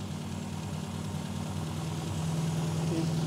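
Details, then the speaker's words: Classic Mini A-series engine with twin SU carburetors during tune-up: lumpy uneven idle that speeds up and smooths out when piston lifting pin raises the air piston, showing the mixture is too rich. "it speeds up and smooths out so right away i know it's too rich"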